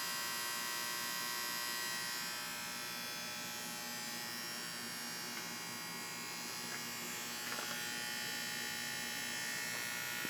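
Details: AC condenser unit with a bad starter capacitor: steady electrical buzz, the motor humming without starting and no compressor pickup; failed start capacitor, fixed by replacing it.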